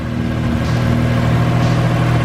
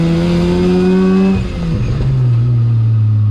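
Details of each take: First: 13B rotary-engined BMW E36 ute after oil cooler and thermo fans installed; quick start, smooth even rotary burble at idle with no stumbles, no leaks, runs healthy. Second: 13B rotary-swapped E36 ute on a drive, plugs possibly fouled from long idling and overfuelling: pulls from low revs with uneven stumbling beat, won't idle properly; low-rpm misfire, cause not found.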